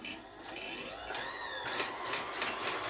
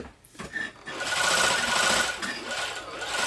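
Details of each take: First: Janome Combi sewing machine/serger combination struggling to drive: thin, patchy whirring as the motor spins freely while the machine barely turns, a sure sign of the loose motor drive belt slipping; belt to be inspected and tension adjusted. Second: Janome Combi sewing machine and serger after the loose motor drive belt was tensioned: light, even mechanical chatter at a steady stitch rate with no slipping or knocking; the machine drives smoothly after the repair.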